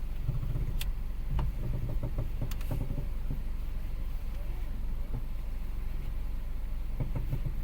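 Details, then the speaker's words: Hyundai i20 petrol, engine idling with AC on: sharp irregular "kat kat" clicks heard as the steering wheel is turned; clicking when turning steering, a knock in the steering or suspension, cause not yet traced. "देखिए ये आवाज आ रही है ना, ये cut cut की आवाज आ रही है।"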